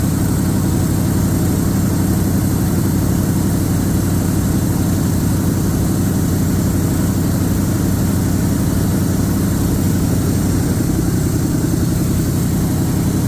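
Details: 1978 Chevrolet K20, carbureted, first start after sitting under a tree for years: steady, even running with no misfiring, but idle is way up there, well above normal; not charging, no coolant in it.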